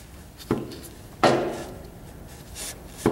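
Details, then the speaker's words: Wood-Mizer sawmill engine, stopped: crankshaft pushed and pulled by hand at the pulley, giving a dull knock each time, about three in three seconds; crank moves a lot by finger, suspected excessive crankshaft thrust end play. "I'm pushing it and I can pull it out with my [Music] fingers and it's going a whole bunch"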